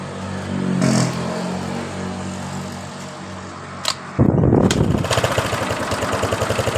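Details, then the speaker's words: Yamaha Mio Sporty scooter that had sputtered then died, after cleaning its clogged carburetor pilot and main jets and replacing hoses: after a few quiet seconds it catches cleanly and settles into a steady, even idle; throttle responsive. "jadi motor hidup dengan normal setelah kita membersihkan di bagian dari pilot jet dan main jetnya yang sudah tersumat seperti ini"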